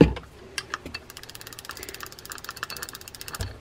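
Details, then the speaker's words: Penn Senator fishing reel being tested before service: turning the handle gives rough, uneven clicking and grating on each crank instead of a smooth spin, from worn drive gears that need replacing. "if you can hear that there's bad gears in this one as well"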